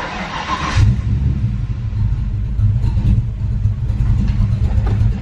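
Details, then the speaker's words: SN95 Mustang swapped to carburettor, air bleeds backed off during carb tuning: low, lumpy idle stumbling and surging, barely staying lit, black smoke; running super rich off the idle circuit. "All right, you see how it's running really bad? All right, guys, can you hear how bad it's running? Just barely idling."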